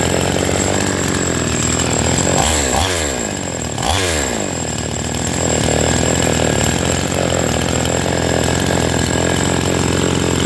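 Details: Chainsaw that would not start, running after work on a possibly clogged fuel passage or filter and setting the idle: steady buzzing idle with a couple of quick blips, settling cleanly without stumbling or dying.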